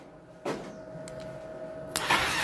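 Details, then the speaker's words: Yamaha Xeon carburetor scooter with a dead electric starter, starter motor powered directly from the battery: clicks, then spins with an even, steady whine and no grinding; the starter motor still works fine. "Berarti kan dia bunyinya untuk dinamo staternya berarti dia masih berfungsi ya"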